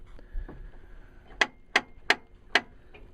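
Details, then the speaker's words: 1993 Ford E-150 after replacing the emergency brake with a used ratchet unit, the old ratchet having failed: five crisp ratchet clicks in under two seconds as the pedal goes down, cable tensing at the rear; normal parking brake engagement. "I can actually hear it back there tensing up and that felt quite tense"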